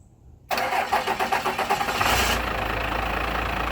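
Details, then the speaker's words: 12V truck diesel with dead, oversized batteries cranks in a quick burst after sitting on a jump box for a minute, then catches and settles into a steady, even idle; normal cranking and start. "I definitely did jump it off things weren't the batteries are like completely dead because you know they are bigger batteries for a decent truck"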